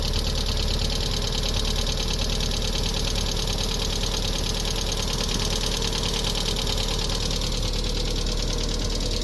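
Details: 1998 MGF first start after a few months off: loud, steady idle with an uneven knocking beat around three per second over the engine drone; abnormal noise, cause unclear.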